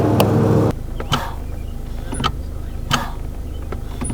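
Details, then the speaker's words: 2016 Chevrolet Cruze Premier RS 1.4L turbo, first start after vacuum pump replacement for Service Brake Assist fault; brakes feel loose and short sharp hissing air puffs come with each brake pedal pump over quiet idle. "um and when he's pumping it you can really hear the air so I hope you guys can hear it in the clip I took but yeah you can really hear the air coming out of the brakes"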